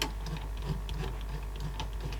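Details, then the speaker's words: Sony SLC35 Betamax video recorder with no cassette loading: low, laboured hum with uneven light ticking as the loading motor strains; solenoid engages but the motor is gutless and does little, likely failing. "solenoid was in at least but the motor doesn't seem to be doing much that motor is just gutless"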